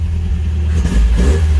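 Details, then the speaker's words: Rambler engine after a points swap, revved from inside the car with the tach not working. It picks up quickly from a blip and holds a deep, even rumble without stumbling; now rev-happy: normal free revving. "See what the throttle response is like from inside the car. Oh! Wish the tack still worked. She gets rev happy quick now."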